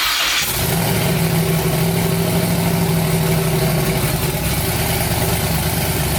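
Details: First start of new twin-turbo 5.3 V8 build in a New Edge Mustang after finishing wiring: engine catches and settles into a rough, lumpy idle with steady low drone; nothing clearly faulty.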